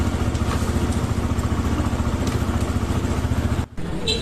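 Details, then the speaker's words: TVS Apache RTR 2V motorcycle idling after engine repair for a bad internal engine noise: even regular single-cylinder thump, no knock or rattle; previous sound gone, normal idle. "আশা করা যায় সেই আগের বাজে সাউন্ডটা আর গাড়িটাতে নাই। গাড়িটা আবারও ইঞ্জিনটি সম্পূর্ণ ঠিক হয়ে গিয়েছে।"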